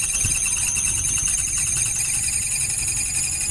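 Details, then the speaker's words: Maspion electric fan making a loud, steady, high-pitched squeal with a faint hum while spinning, before repair; fix applied was lubricating with baby telon oil to remove the noise. "ya teman-teman ini suara nyaring cukup keras berisiknya"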